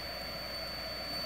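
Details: Cheap failing power supply: a thin, constant high-pitched coil whine over a low hiss. The supply failed about 45 minutes later in a puff of blue smoke, tripping the breaker.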